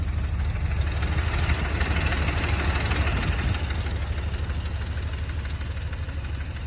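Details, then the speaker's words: Dodge Ram V8, warmed up for about 20 minutes on a cold day, before adding Engine Restore: a steady light chatter of quick ticks rides over the low idle rumble; noisy hydraulic lifters. "this is going to be a pre-test before um using engine restore see if it quiets down these lifters"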